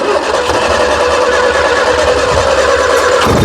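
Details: 1976 Triumph Spitfire 1500, first start after sitting dormant for years on a temporary fuel supply: just off idle with a slightly uneven, hunting note that won't settle; carburetor has never been adjusted.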